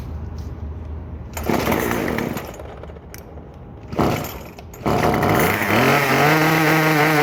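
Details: Craftsman WS2400 two-stroke pole saw after refilling with freshly mixed fuel, before carb adjustment: rough lumpy idle, revs stumble and lag on trigger before climbing slowly; hesitation and bog, milder than before.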